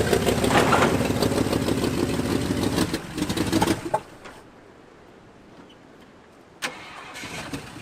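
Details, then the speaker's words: 1978 Jeep J20 with 360 V8, first start after sitting 15 years, fuel poured down the carburetor: runs raggedly a few seconds then bogs and dies, can't feather throttle; no accelerator pump, carburetor needs rebuild. "carburetor definitely needs a rebuild it's got no accelerator pump at all it just wants to die and I can't even feather the gas to get it to run enough"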